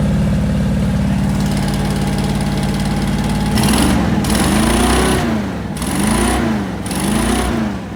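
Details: 1973 International crew cab Travelette 392 V8 parked 30 years, running on a temporary fuel pump: settles into a steady even idle with light blips, clean and healthy, no knocks or misses, making oil pressure and charging.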